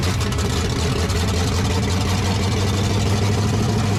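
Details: 1970 Chevy truck V8, carburetor reworked after flooding and breaking down on highway: deep, loud, steady rumble with even unbroken beat, no misses or stumbles; normal idle.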